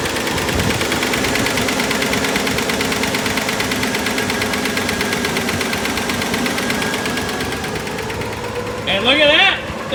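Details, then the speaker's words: 1954 Chevrolet, rear wheels off the ground, engine running in gear to fill the transmission: steady mid-pitched whine from the transmission pump, meaning the fluid is low and more needs to be added. "wheels are turning and you can hear the pump winding so that means add some fluid"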